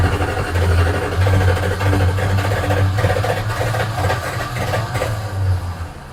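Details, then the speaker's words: 1976 Dodge Club Cab Adventurer, tired 318 V8 with a rich carburetor and an exhaust leak, now making oil pressure: a deep, hollow bottom-end knock about every half second over a rough idle; judged to be newly started rod knock. "Yep, that's rod knock."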